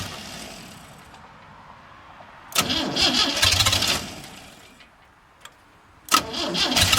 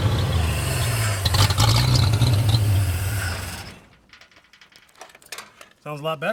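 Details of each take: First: 1937 Chevy with Chevy 250 six-cylinder not run in years, five-speed, cold-blooded; cranks, catches briefly, then settles into a loud, slightly uneven idle; ignition timing thought to be a little out. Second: 1937 Chevy with Chevy 250 six-cylinder, five-speed, timing adjusted as far as the distributor allows, low oil pressure from leak; loud even roar with steady deep rumble that fades: normal running.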